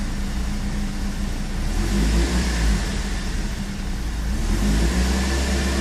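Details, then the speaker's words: BMW M42 engine, warm restart: starts immediately, then idles unevenly with a low lumpy stumble that rises and sags, worse with a little throttle, returning to normal after about 20 seconds; owner suspects a dripping injector. Cold starts run smoothly. "beetje gas geven en nou gaat ie dus pruttelen"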